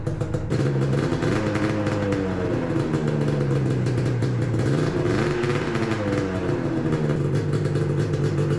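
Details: 2000 Yamaha 500SXR bought as a non-runner, first start after work, with leaking coolant lines and a two-stroke oil leak: catches and buzzes steadily, pitch rising and falling with throttle blips. Runs cleanly without misses.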